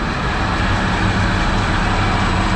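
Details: Belt-driven centrifugal kitchen exhaust fan on an ABB VFD at 48 Hz (80% speed), drawing 1.3 A, after repair. A steady even air rush with a low hum and no squeal, rattle or thump. Over-greased bearings are still weeping grease; normal fan operation.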